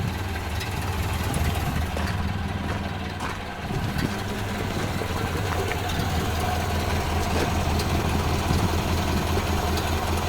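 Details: 1929 Ford Model A four-cylinder after oil pan and oil filter install: slow, steady low thrum with even firing, no knocks or misses; normal idle.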